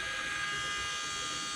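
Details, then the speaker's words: John Deere 410K backhoe at 1000-hour service, ignition on, cycled several times until pump shuts off: steady high electric buzz without stutter as the fuel priming pump fills with fuel; normal operation. "so we'll do that a couple of times so the pump shuts off and then it'll be good all right so now you can tell it just got fuel"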